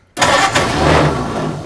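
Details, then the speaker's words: 1940 Ford Deluxe coupe barn find with Ford flathead engine, first start attempt after a little gas poured down each cylinder and battery hooked up: cranking burst with a rough rush that almost catches then fades; cranks but won't start. "so are we on yeah okay let's see if it starts oh that's a good sound oh it's trying"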